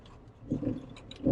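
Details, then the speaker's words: Jeep Wrangler TJ on oversized 31x10.5 tires, turned to full steering lock in a parking lot: two short low groaning rubs, the second louder. Tires rub at full lock in either direction; owner plans adjustable control arms and a lift. "So you guys can see there's a tiny bit of rubbing at full lock, and that is caused by the larger tires. I'm running 31 by 10.5s, and apparently it does not like that."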